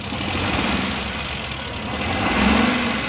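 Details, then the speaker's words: 2017 Suzuki Bolan Euro van; uneven, shaky idle with rough stumbling beat under the engine hum, heavy misfiring; engine misfire at idle. "गाड़ी मिसिंग कर रही है बहुत ज़्यादा, ये देखें।"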